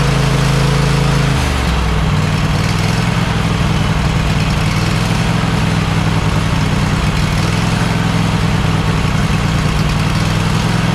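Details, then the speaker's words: Cub Cadet XT1 LT46 lawn tractor after oil pan reseal, head gasket replacement, new carburetor and a valve adjustment on one head: steady, even low drone that settles quickly after a speed change and holds without hunting. It is running normally. "Okay. As you see, it works great."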